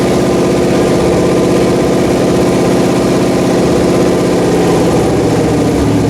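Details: Freshly rebuilt Pontiac 400 V8 on a homemade run stand, second flat-tappet cam break-in after the first wiped a lobe, a lifter and bearings; steady, even rumble on the fast idle cam with no ticking or misses, breaking in cleanly.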